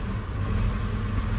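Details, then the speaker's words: UAZ Hunter started after months of storage at about -6°C, following a week of -30°C frosts, with 105 Ah/1000 A battery: low lumpy idle with uneven beat and stumbles right after cold start; misfiring slightly but running. "Ну, не очень уверенно. Работа пока с перебоем, но он завелся."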